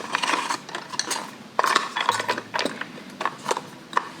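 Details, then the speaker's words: Yarn ball winder (ovillador), opened up, inner gears separated: irregular dry clicking and ratcheting as it is cranked, with no drive, and the part does not move. Fix is to push the gears back together, then reassemble. "Miren, como no están juntos, hace ese ruido y esto no se mueve. Si eso les pasa al suyo, es que los enganajes adentro están separados."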